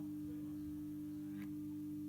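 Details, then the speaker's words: Tri-ang Railways R.253 Dock Shunter model locomotive, probably unused about 30 years, dusty and rusty; with power applied on track the motor gives a steady quiet hum, fighting but stalled, sounding bone dry. "it did make a sound um let's just i can feel the motor fighting let's try reverse there is some life there it sounds very dry the motor sounds bone dry"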